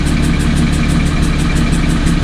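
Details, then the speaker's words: Car idles steadily with a faint repeating metallic, sucking tick about six times a second that began during an autocross track day and persists after the intake was taken apart and checked; the cause is unknown, and a tune issue is suspected. "so let's hope so as you can hear it's not going away um i have no idea what else it could be"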